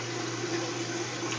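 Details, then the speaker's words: Kenmore top-load washer that hums and drains but won't spin until the lid is lifted and closed, needed twice per wash; once started it spins normally with an even low hum, water swishing, and no knocking or scraping. "as now you can see it spinning it's just I got to do that twice during a wash"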